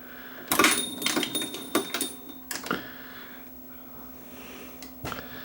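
Loud irregular clattering bursts over a steady motor hum in forward; a seized pinch roller arm is making the transport rattle.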